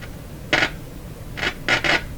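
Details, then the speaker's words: Loewe Opta 5716W tube radio at full supply voltage (109 V) after antenna wire repair: quiet background broken by four sharp uneven clicks as the control is worked; mechanism sounds abnormally clicky, cause unclear. "So we're at full supply voltage. Why so clicky? It shouldn't normally, shouldn't really do that, I would think."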